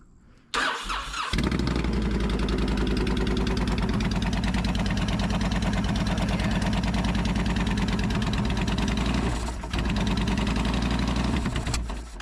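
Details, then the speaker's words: 2004 Honda VTX 1300 V-twin that had been running rich and pouring fuel out the exhaust, started after draining fuel: catches within a second into a steady, even loping idle with no misses; smoke is excess gas burning off, normal. "Why don't you let it warm up a little bit? I wonder if that's some of that oily gas that's burning off."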